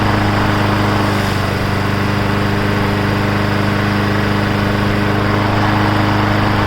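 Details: Briggs & Stratton Brute 6.75 on a self-propelled 22-inch bagger mower, after repairs: steady, even single-cylinder putter at constant speed with no misses or surging; running smoothly.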